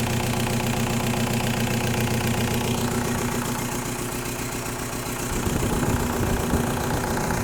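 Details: 1.9L TDI diesel fuel problem diagnosis: idle with a sharp regular knock above the normal clatter, steady with engine speed; injector knock from bad injectors.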